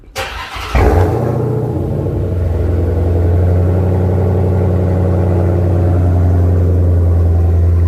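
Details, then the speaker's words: After relocating the MBRP race exhaust modules and their brackets, the suspected rattle source: starts and idle comes down to the speed where vibration was worst, steady low drone with no buzz or rattle; fixed, normal idle. "no vibrations no vibrations so you see how the idle came down here is where the vibrations will be the worst right around where it is right now"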